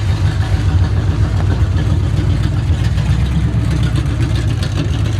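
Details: 1970 Chevy C10 truck revived after 10 years parked: deep, very loud rumbling idle with open unmuffled pulses; no exhaust system fitted, needs one.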